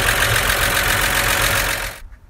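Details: 1953 Chevy truck after converting the draft tube to a PCV valve, two forgotten plug wires reinstalled: steady, even idle for about two seconds before shutting off, no miss or lope; running right.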